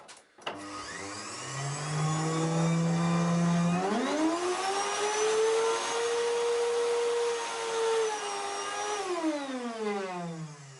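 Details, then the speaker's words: Samsung SC4181 vacuum cleaner, owner complains of weak suction, vibration and strong hum: motor runs with a loud droning hum that climbs in pitch and winds down; bearings audibly humming. "при такой работе пылесоса даже страшно и выключать не то чтобы пылесосить 1 шт у могу сказать это точно гудят подшипники"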